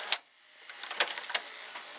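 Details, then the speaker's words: Mitsubishi HS-U51 or Panasonic PV-4942-K VCR at tape end/stop: crisp mechanical clicks over near silence as the solenoid activates the brake system; normal brake operation. "you can hear that they're kicking someone with a tape stops were ending it would break you the mechanism like adamak the brake system will activate you can hear it"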